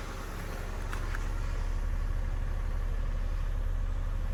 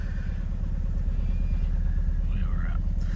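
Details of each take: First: Suzuki Swift after replacing the faulty cylinder 4 ignition coil: a smooth, even idle with a steady low beat and no skips. The misfire is gone. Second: Suzuki Swift idling with a cylinder 4 misfire, after its ignition coil was swapped to cylinder 3: a low, uneven lope about two beats a second; the misfire follows the coil, so the coil is faulty.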